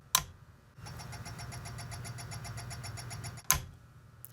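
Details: SLO clone tube guitar amp build, first power-up while inserting tubes: quick even run of high chirps, about ten a second, over a low hum; oscillation blamed on out-of-phase power transformer, though changes with the depth knob cast doubt.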